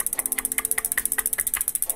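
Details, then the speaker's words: Shimano Deore M6010 rear freehub after about 2,500 km (1,500 miles), before servicing: crisp, evenly spaced ratchet clicks, about twelve a second, steady rhythm, no skips or grinding; normal freehub clicking. "I'm gonna show you how it sounds after twenty five hundred of kilometers so roughly fifteen hundred miles or so it is okay it is even you can hear those clicks"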